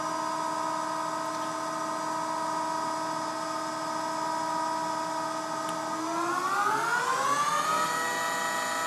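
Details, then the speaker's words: Bridgeport Romi EZ Path S 17" x 40" lathe with PC-based control, spindle running at 3,000 RPM: a smooth, even whine whose pitch climbs evenly, with no rumble or grinding. Bearings sound healthy; normal spindle running. "3,000 RPM. 3,000 RPM. Hear the bearings sound good?"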